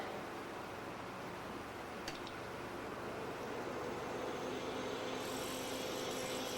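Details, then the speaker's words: HP Vectra 486/33U powering up after a hard drive swap and removal of its EISA SCSI card, blanks installed: a steady fan whir, then a continuous error tone. It reports a system board error; setup then complains the SCSI card is missing. "oh it's making that noise there's an error board with the system or an error with the system board"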